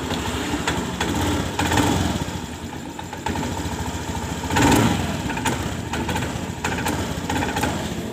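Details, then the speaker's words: Honda Scoopy scooter: idle surges, sags and stumbles instead of holding steady. The complaint is an unstable idle, stumbling on throttle and stalling; no fault code shows. Cause not confirmed; fuel pump pressure is checked next. "langsam dari motor ini tidak stabil dan brebet"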